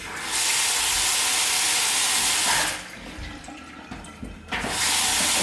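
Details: Kitchen tap after the fix, with the washer and fitting retightened and the mains turned back on: smooth, steady hiss, brief stop, then flow again with no hammering or knocking.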